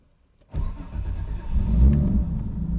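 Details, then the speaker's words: Nissan S14 RB25DET on an AEM Infinity, timing light on the number 1 plug lead to check the 13-degree offset: a short crank, then it fires right up to a steady, even low rumble with no misses, a normal start. "All right, fires right up, that's good."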